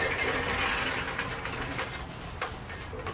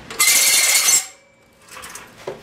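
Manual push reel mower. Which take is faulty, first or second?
second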